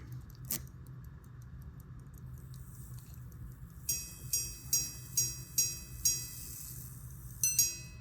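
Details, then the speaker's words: About-1820 verge fusee quarter-repeater pocket watch, after adjusting the hammer depth lever; seven clean bell strikes about two per second, fading evenly: normal repeater chime. "That sounds much better."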